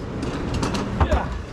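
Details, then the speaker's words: Dosatron fertilizer injector pump on a greenhouse water line, just after installation with the water turned on: a few soft clicks over a low, steady water-line rumble as the plunger strokes up and down, drawing in and injecting chemical; normal injector clicking. "er we can go ahead turn our water on and we hear it clicking so that is a good sign that click you here is the plunger in here going up and down"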